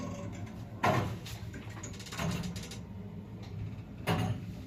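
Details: СЛЗ (Samarkand) elevator, 320 kg capacity, 0.71 m/s, AS-72 motor, after replacement of the door drive motor: quiet hum with soft, even thuds about every 1.5 seconds as the doors move and stop; normal door operation.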